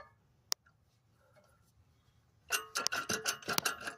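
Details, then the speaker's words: 2008 BMW 528xi raised on a jack stand, wheel off, passenger-side front: loose metallic rattling and clunking in uneven bursts as the broken front CV axle (spindle to transmission) is shaken, the customer's front-end clunk and rattle. "I'm going to show you the problem of all this noise that's been rattling in the front."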